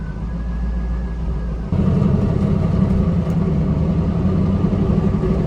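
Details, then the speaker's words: 1998 Pontiac Trans Am on a test drive after moving a zip tie believed to be causing ticking near the differential: steady road rumble rising with speed, no ticking now; a weird whine still remains. "I'm pretty sure it was that zip tie that I moved out of the way CU I can't hear the noise anymore"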